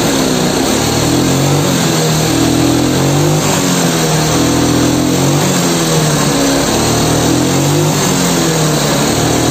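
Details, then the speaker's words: Yamaha Mio scooter that hesitates, pulls weakly, starts hard and sometimes stalls: rough, noisy engine revved in short uneven blips, slow throttle response; oil level and valve clearance to be checked, cause unconfirmed. "motor Mio Suaranya berisik ya jadi seperti biasa analisa nanti kita cek di bagian oli Apa kodenya habis terus juga di setelan klep nya temen-temen"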